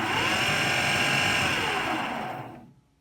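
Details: AEG Lavatherm 56800 tumble dryer: the motor whirs with a steady hum for about two and a half seconds, turning only one way, then winds down to silence; motor starts but stops almost immediately, later giving a 5-flash error.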